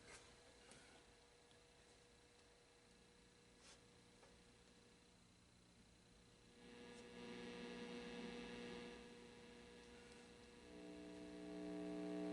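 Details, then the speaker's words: Marshall guitar amp under repair, with oscillation suspected: steady mains-pitch hum with a higher buzz that swells and stays. The reverb circuit is noisy and humming, including on the clean reverb. "Ooh, that reverb's a little noisy."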